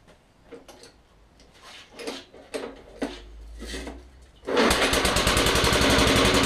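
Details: Old non-running lawnmower after freeing a seized drive chain: handling noise, then it fires and settles into a steady, even, fast putter; running properly.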